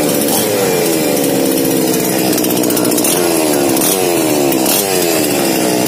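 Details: Small Remotec mini chainsaw lacking power: high revs whose pitch keeps sagging and dropping off instead of holding; unstable, weak running from carburetor out of adjustment, fixed by carburetor setting.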